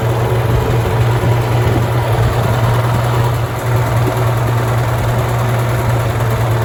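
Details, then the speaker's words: Farmall tractor (1949 H or 1968 656) after fuel-system work for cutting out: smooth, even low rumble with steady firing beat, no knocks or misses; idling cleanly. "all right gonna let this thing run for a while hopefully it stays running sounds good"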